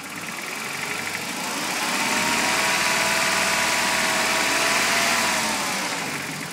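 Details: Freshly rebuilt Toyota 22RE four-cylinder idling with a steady, fairly even tapping about four per second in the upper range; unexplained knock at idle worrying the owner.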